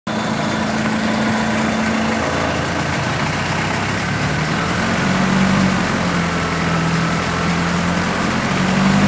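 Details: Isuzu 4FG1 2.4-litre inline-four idling after valve clearance adjustment to 0.25 mm intake and 0.35 mm exhaust: light fast ticking over a low rumble that appeared or worsened after adjustment, cause undetermined.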